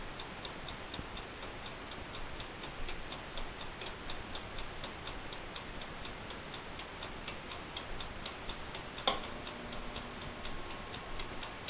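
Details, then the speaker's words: Amaco polymer clay oven, mic held close; quiet even ticking at a steady quick pace in a still room: normal mechanical timer ticking. "And that ticking sound is actually the timer, so just so you don't know."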